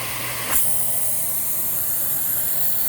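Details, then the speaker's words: Miele H1 Swing (Quick Step) reconfigurable stick/upright vacuum, suction test with inlet blocked: loud steady hiss with thin high whistle starts suddenly, likely the suction relief valve opening; bag indicator also leaks air. "now we'll do suction and i do believe this has a suction relief valve in it yeah i'm pretty sure it does"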